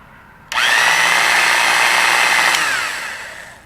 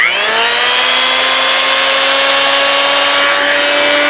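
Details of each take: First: Porter-Cable model 2621 3/8" electric drill, rated 2250 RPM, found in a junk pile and run for the first time: steady high whine that sags as it winds down, stiff and slower than rated; owner suspects hardened grease inside, needs cleaning and relubrication. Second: Old Porter-Cable model 2621 3/8" corded electric drill, possibly 70 years old: steady motor whine at even pitch, winding down smoothly at switch-off; runs fine despite sounding bad before, some chuck end play.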